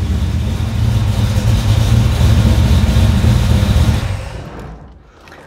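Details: Carbureted engine converted to FiTech fuel injection, after fixing the rpm-signal wiring problem so the unit reads rpm while cranking: deep steady rumble settling smoothly after start with no misses or hesitation; runs properly.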